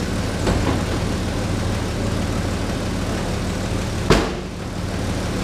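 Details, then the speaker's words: 1985 Chevy S10 standard cab long bed, running after not being started for a few days, heard from underneath. A steady, slightly lumpy idle with a raspy puffing edge under the exhaust note: exhaust leak. "You can hear that exhaust leak."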